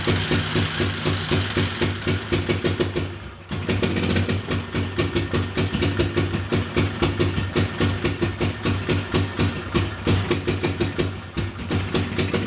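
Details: Big Bear ATV after top-end rebuild with honed head and new valve seals, first start with fuel in carburetor: steady quick even single-cylinder thumping, no misses or knocks, no smoke; clean healthy idle.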